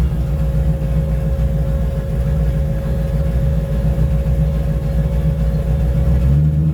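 Engine picks up cleanly and holds a steady, even rev with a deep exhaust note, crisp throttle response, no misses or stumbles.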